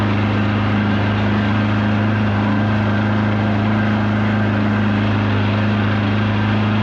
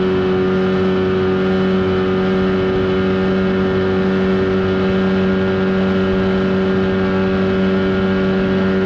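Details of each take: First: 1979 Evinrude/Johnson 35hp outboard on the water under load after tune-up and adjustments: steady drone holding one pitch, never climbing to a full-throttle howl; adjustments failed, not reaching wide open throttle. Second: 1979 Evinrude 35hp outboard on the water after adjustments, with the air box left off for the run. Smooth, even high-revving drone at a steady pitch, no misses or knocks; running cleanly at speed.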